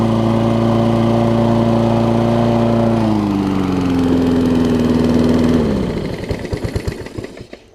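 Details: Toro self-propelled mower with Kohler engine, after cleaning spark plug with carb cleaner restored spark: steady even single-cylinder hum holding speed, then revs sag and it winds down and stops cleanly; runs smooth.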